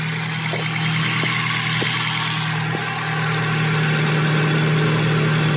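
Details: Mk1 Ford Focus after cambelt change and a new 1,525 mm auxiliary belt fitted, AC compressor and radiator removed: steady even idle hum, constant pitch, no belt squeal or knocking; healthy.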